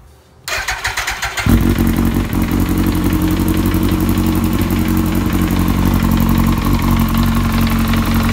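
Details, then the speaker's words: 2003 Yamaha R1 motorcycle engine starting then idling with light rapid ticking knock localized to one side of engine; suspected cam chain tensioner problem letting chain slap on crankcase. "because the knock is coming from this area which kind of leads us to believe that we have maybe a chain tension or problem"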